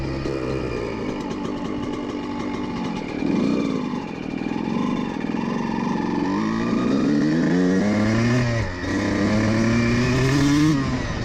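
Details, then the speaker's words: Two-stroke dirt bike (CR125) after a jetting change: revs rise and fall cleanly through the midrange, crisp and even with no bogging or spluttering, much better than the earlier rich spluttering; jetting now sounds right. "semble un peu mieux, je pense qu'il a besoin être nettoyé juste un peu plus oui c'est beaucoup mieux"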